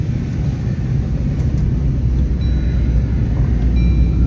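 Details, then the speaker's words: Suzuki Ertiga at road speed: a steady, even low roar in the cabin, heard at 20–60 km/h and louder above 40 km/h, louder than the engine and persisting with the engine off. Suspected worn left wheel bearing. "Brian kita dengar lagi sepertinya dari bearing roda sebelah kiri nih nanti kita cek Saya rasa ini bearing roda"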